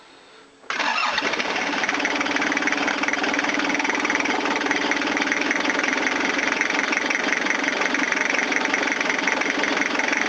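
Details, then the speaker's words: Toyota diesel cranked at length after a fuel filter change with a non-working lift pump: steady fast cranking that never catches while purging air from the fuel system; injector lines may need bleeding. Long cranking from air in the fuel. "Right, we got air in there now. Sucks. I just gotta crank it."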